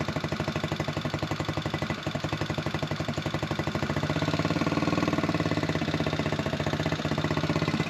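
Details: Buggy single-cylinder with a carburettor air-setting problem, after the wet air filter was dried. An uneven thump at about four beats a second stumbles and cuts out while the carb air is being adjusted. Misfiring; air setting is suspected.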